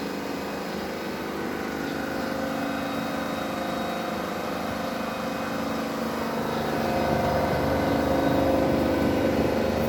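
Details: BAAM001 home treadmill after about one year of use, incline 5, speed raised from 1 to top speed 14: smooth, even motor hum building slightly as the belt reaches top speed, no grinding or squeal. Normal treadmill motor hum.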